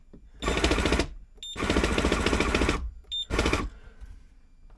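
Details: Simrad TP10 boat tillerpilot on 12 V battery, with a loose connector and knocking when it winds one way: short bursts of motor drive with a rapid rattly knock under the whine; cause not found.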